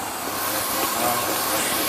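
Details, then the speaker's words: 2004 BMW E46 325xi with codes P0174, P0171 and P0300–P0306, after a new DISA valve: a steady hiss over a cold, stuttering idle with popping and crackling. A vacuum leak near the DISA is suspected, and the CCV is thought fine. "I hope you can hear it it sounds like it's down in here or in the Desa itself but I just swapped a brand new piece out of popping and cracking again"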